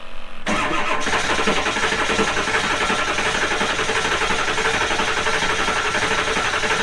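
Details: Diesel with newly installed injectors and valve covers refitted, started after reassembly amid worry it might hydrolock: brief crank, then it fires and holds an even idle clatter with no stumbling or misfire; healthy start.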